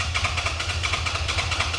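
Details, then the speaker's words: 2011 Suzuki SFV650 Gladius motorcycle: steady rapid cranking, about eight even pulses a second, no firing; no start with a part plugged or unplugged, owner suspects tip sensor, dealer mode then shows only code C29; cranks but won't start. "No start. Unplugged. No noise. Oh. [Music] Hm. No start either."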